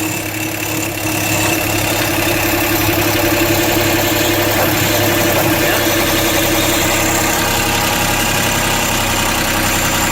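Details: 2008 Chrysler 300 Limited 3.5L V6 with serpentine belt removed, timing cover opened: steady idle with constant whirring drone tracking engine speed; failed timing belt tensioner pulley bearing, replaced.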